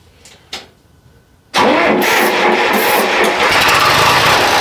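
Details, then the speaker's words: Diesel engine idling in neutral at about 46°F after an injection pump timing check and adjustment for a miss/hesitation, started with starting spray: loud clattery uneven lope, a little better but still rough; may need warm-up; fuel left off. "it seems a little better but still not quite there I might need to just let it warm up"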